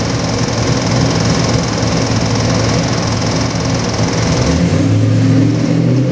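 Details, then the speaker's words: Custom Ford 347 stroker, 302-based, with Holley Sniper EFI, on the dyno for an '88 Toyota pickup: a steady V8 rumble rising into a smooth rev near the end, no knocks or misses. Normal running. "Okay, Ron, we got this gorgeous 347 EFI engine here on the dyno. It's going into your '88 Toyota pickup truck. Gonna fire it up and give you a run demo."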